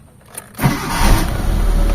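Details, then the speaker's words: Mitsubishi Lancer GLXi that would only start by push-starting: after replacing the faulty starter (earlier grinding metal noise), a faint click and the petrol engine fires at once into a steady idle. "Nakakita niyo mga bossing? Isang pitik lang mga boss umandar na kaagad yung makina niya."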